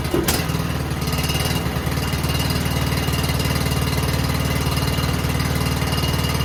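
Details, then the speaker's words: Cub Cadet XT1 LT 42 riding mower, about 65 degrees, after spring oil change: quick catch, then a steady, even single-cylinder thrum with no misses or knocks; normal start and idle, ready to cut. "There you have it. So basic maintenance done. I can cut with it as it is right now."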